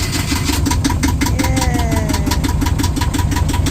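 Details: Yanmar diesel boat engine, first start, in neutral: catches on the starter and settles into a steady, even chug of about three beats a second at roughly 600–750 rpm; normal start and fast idle.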